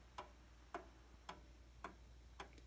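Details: 1800s Seth Thomas OG clock running again after repair, with its face and hands refitted: crisp, evenly spaced ticks about every half second in a quiet room. The beat is steady and in time.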